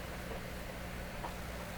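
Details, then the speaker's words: Hammarlund SP-600 double-conversion receiver during 3955 kHz second IF alignment, band switch at 7.4, signal generator at 3.95. Selectivity widened from 3 kc, only a faint even hiss, no tone passes. No signal. "I'll widen out the selectivity. At least we hear a little hiss now."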